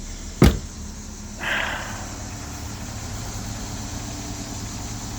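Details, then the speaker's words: 2001 Ford Escort ZX2, just started after months or years sitting, low on fuel: sharp click, then a quiet, even, steady idle with no misses or knocks. Starter-circuit break suspected because the key won't crank it. Normal idle. "Yes, I know it's low on fuel. I think I got like a few like a partial gallon in it, but we are idling steady."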